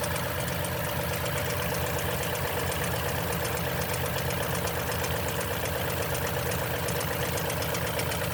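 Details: 2010 Toyota Tundra, 165k miles, 5,500-mile oil changes: cold idle with fast light rattling ticks about two per second from the front of the engine; suspected timing chain noise, unconfirmed.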